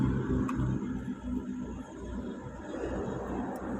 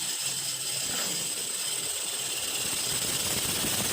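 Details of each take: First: Toyota car engine running after an alternator pulley repair: steady, even hum with no squeal, rattle or grinding from the front accessories; the earlier loud front-end noise is gone. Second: Toyota car engine bay noise heard from under the hood while driving: loud harsh hissing rattle with sharp high tones from a cracked alternator pulley, alternator about to stop charging.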